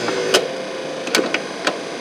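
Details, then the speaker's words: 1970 Cadillac Sedan DeVille wiper motor, reinstalled, not yet connected to wiper arm, switched off: a few sharp mechanical clicks as it settles into park; normal wiper park. "and it went into park, turn it on again, starts up and goes. That's park."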